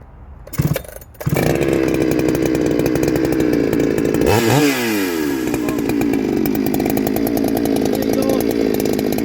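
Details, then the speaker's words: Bradley G395xp clone chainsaw, 56mm with 20-inch bar and .404 full-chisel chain, cutting log on V-block; crisp high two-stroke scream sags briefly as chain bites then recovers; healthy, responsive, normal running under load. "That goes quite well. I'm happy with that. As you see, a 56mm. It goes well with 20-inch, no problem at all."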